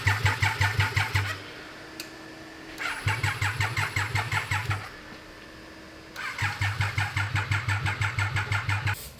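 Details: Abandoned Triumph 955cc go-kart; three bursts of steady starter chugging about three turns a second, never catches, charging system noted; injector pulse to be checked. Crank no start.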